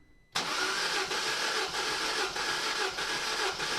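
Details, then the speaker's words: Peugeot 207 CC, EP6DT engine (owner's ID from VIN), cold compression test on cylinder one, checking for bent valves. Even, steady cranking beats about two a second, no stumble; 185 psi reading. Normal cranking compression. "compression's definitely going up nicely and that's looking pretty good 185 psi no complaints there"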